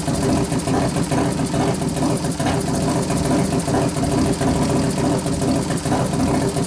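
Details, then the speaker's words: 1993 Harley FXR Evolution 89ci stroker, new build first start-up, air cleaner off: lumpy but even V-twin idle at roughly two beats per second, no knocking or clatter, warming up; healthy normal idle. "I turn the acceler pump down a couple turns so I cuts a lot of that out sounds good we got to readjust it once you put the air cleaner"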